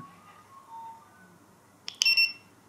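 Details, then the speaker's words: ViFLY Beacon lost-model alarm powering on normally: the button is held 2 to 5 seconds, then a quick chirp and two short, shrill beeps, repeating in standby mode. "to turn it on you hold the button for two to five seconds to beeps we get a flash and it'll give two beats continuously so it'll continue giving that two beeps while it's on in standby mode"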